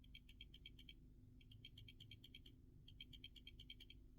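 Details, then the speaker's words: Samsung S24 Ultra camera module shaken by hand: three quick bursts of light, high clicking, about ten ticks a second. This is a new camera's normal slight OIS rattle, much less than the faulty modules. "you see guys this camera doesn't shake as much as this one"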